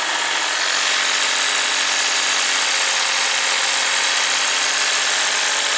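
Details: 2015 Lexus IS250 V6 AWD, no codes, throttle body already replaced, mass airflow sensor unplugged, throttle plate moved by hand: steady, busy high idle with hissy top end that never settles; idles over 2,000 RPM in Park, cause unclear.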